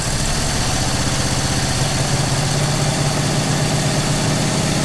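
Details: 1960 Oldsmobile Dynamic 88 V8, first start after sitting years and new 3/8 fuel line: deep, steady rumble at an even idle with no misses or knocks; normal idle.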